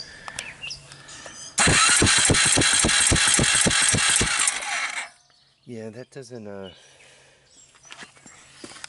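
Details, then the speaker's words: Suzuki Quadrunner 250 4x4 ATV cranking on a jump pack, 150 psi compression: about three and a half sharp even clacks a second; owner suspects a completely loose valve, valves needing adjustment, not confirmed. "what do you guys think of the sound of that motor sounds like I got a valve that's completely loose"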